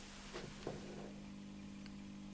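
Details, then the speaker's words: Cheap Tivoli-lookalike radio after repair, with the bad capacitor replaced and the housing reinstalled: a steady low mains hum from the speaker, slightly amplified by the housing but less than before, with a couple of handling knocks. "It's definitely not as bad as it was before, and still it really is a nice feeling that I got that bad capacitor replaced inside of there before it really went bang or something."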